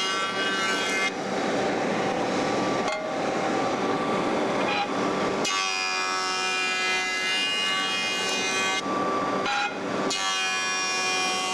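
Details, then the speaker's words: Jointer cutterhead on the final pass of board-flattening: high whine holding an even, consistent tone through each pass with clean breaks, indicating the board is running flat (at least 95% flat, last half inch missed); steady normal cut. "On my last pass, I can hear that I'm getting a consistent sound going across the joiner. I know that I'm flat, at least 95% flat."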